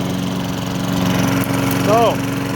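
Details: Curbside-rescued MTD mower, Tecumseh single-cylinder: steady, even drone with no metallic rapping. The earlier hard metallic rapping noise is gone, though it still has 0W-20 oil awaiting a proper oil change.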